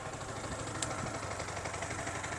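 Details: Yamaha R15 V3 in for a tick-tick engine noise complaint, started on the self-starter and idling in neutral: steady, light idle with an even beat and no knocking or tapping; water pump working, head gasket fine; noise said to appear only in gear.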